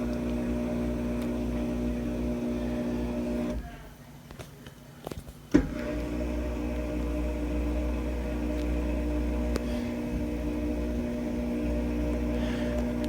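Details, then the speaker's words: Samsung DW80R5060US dishwasher in diagnostic test mode, test 1 drain test; steady low electric hum with faint water swish, briefly interrupted then resuming evenly; normal drain pump operation. "Just wanted to make sure that the drain pump is working perfectly fine."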